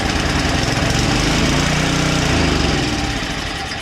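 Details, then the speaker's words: Two-stage snowblower engine with 2-year-old fuel in the tank, primed and pulled: it fires and runs briefly, then fades out within seconds as the choke is opened too fast. Lean stall after starting. "How about that? It started, but it stopped. But I turned the choke too fast."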